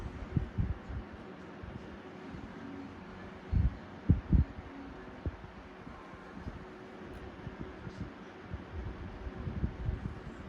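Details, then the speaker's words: 1994 box fan blade swapped into a new box fan, running: steady rush of air with gusty buffeting on the mic, no wobble or knocking; blade well balanced, normal running. "blade is well balanced and rightfully so i mean for all it is a 1994 let it go easy before we get am falling apart"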